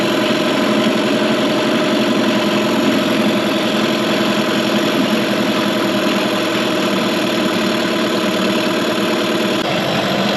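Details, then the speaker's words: 2003 Mercury 15 hp two-stroke electric-start outboard in a test tank during first startup after restoration: earlier backfiring gone; steady even buzzing idle, no pops or misses over ten seconds; owner suspects a vacuum leak; normal idle. "no matter does sound like it's running much better now it's not backfiring anymore"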